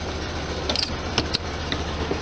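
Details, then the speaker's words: 1973 VW Super Beetle dual carbs, after fixing air cleaner clank from phenolic spacers; air-cooled engine holds a steady fast idle, expected to settle near 900, only light ticks and no metallic air cleaner clank; normal idle. "clanking, no clanking. Beautiful, no clanking."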